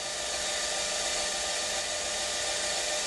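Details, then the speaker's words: LabVolt synchronous motor started with dyno load at minimum and maximum excitation: smooth steady high whir without hunting or surging as it pulls into synchronism; loaded start sounded rough instead. "now if i take the load off to minimum and do the same thing again it actually ends up pulling into sink"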